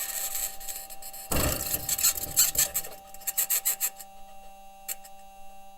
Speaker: also present in the recording is a high-pitched scratching noise which the team has yet to explain